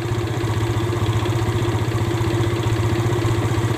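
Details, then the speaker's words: Yamaha Vega R New, single-cylinder, idling with a slightly uneven hunting beat around four pulses a second; intake gaping from loose bolts leaks air, a cause of stalling on long rides; repair included carburetor service and tightening the intake bolts. "service karburator benerin ini ya bautnya bautnya select ini jadi si intake ini mangap ya kebuka jadi bautnya itu nggak nggak kenceng ya"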